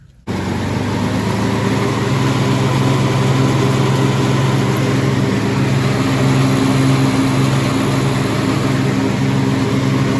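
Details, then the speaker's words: Kubota T1600 two-cylinder diesel mower after deck rebuild with touched-up blades and greased spindles: even diesel drone with blades spinning steadily, no grinding, rumble or knocking; deck running normally. "that's how it should sound right there"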